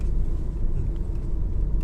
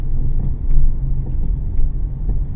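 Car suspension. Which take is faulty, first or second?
second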